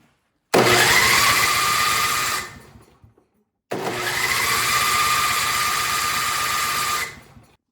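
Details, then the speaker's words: Older Craftsman snowblower on electric start with choke and primer, cranking: two bursts of steady starter whirring with no firing at all. It won't start because the old, stale gas and a faulty carburetor (later replaced) starve it of fuel. "well just like the customer said it won't start"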